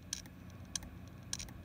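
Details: HP desktop hard drive during the BIOS hard-drive diagnostic: three sharp dry clicks about every 0.6 seconds over a quiet background; the test reports a failure; failing hard drive clicking.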